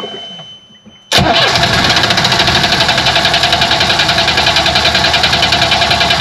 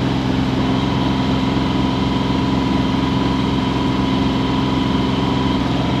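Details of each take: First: Yanmar diesel on a sailboat: steady cranking at about 3.5 strokes a second that never catches; fuel starvation, apparently from gunk clogging the pickup tube and the fuel pump, which popped the primer bulb. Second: Yanmar diesel on a sailboat at 2500 rpm, making 6.7 knots through the water and 4.7 over ground against the current: a steady, even drone with no misses or knocks; normal running under load.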